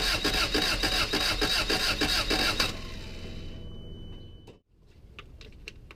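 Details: 1989 Toyota Tercel, 1.5 L 12-valve carbureted, around 7 °C after a cold spell: steady cranking pulses about three a second for a few seconds, then stops. The engine never catches; crank, no-start.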